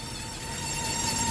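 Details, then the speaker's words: Maruti Swift Dzire, heard from underneath while clutch is pressed and released: steady high whirring over the engine; worn clutch release bearing noise, louder when clutch is pressed and the bearing is loaded. "അപ്പോൾ release ബെയറിങ്ങിൻ്റെ സൗണ്ടാണ് കേൾക്കുന്നത്. Release ബെയറിങ്ങിന് load കൂടുമ്പോൾ sound വരുന്നില്ല, free ആയിട്ട് ഇട്ടിരിക്കുന്ന സമയത്ത് സൗണ്ടായിരിക്കും."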